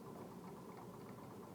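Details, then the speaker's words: DIY magnet-and-coil pulse motor with eight wound coils repelling the rotor's north poles, timed to fire just past top dead center after a hand spin: steady electrical buzz with fast even coil pulses as RPM increases; running normally. "So if we give it a spin, now I can hear it firing. If we've got it hooked up correctly, it's going to start to increase in speed, RPM,"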